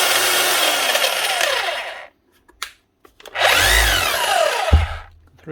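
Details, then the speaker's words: Makita HR3210C SDS Plus hammer drill (auction-bought) after tool holder, grease and O-ring replacement, brushes nearly new, run through settings holding a chisel: strong even hammering chatter in short runs, motor spinning up and easing off cleanly, no grinding; runs like new. "Running like new, as you should. Not so bad."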